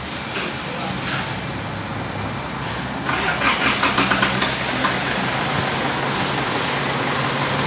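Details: Vehicle brought in for hard starting and black smoke, with injectors judged faulty, tested after treatment with the camera at the engine: catches quickly after a short crank and settles into a steady, even idle. Normal start-up.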